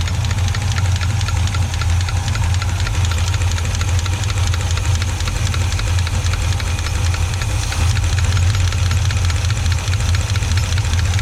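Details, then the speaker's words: 1980/81 Chevy truck that sat about 29 years, after a vacuum leak was fixed: a sharp tick over a deep even idle, keeping time with engine speed, from a rocker stud pulling out of the head; a rough lifter or cam lobe is also possible. "well then it seems that lifter or that camshaft lobe might be a little rough but it sure does look like that stud just keeps pulling out of there"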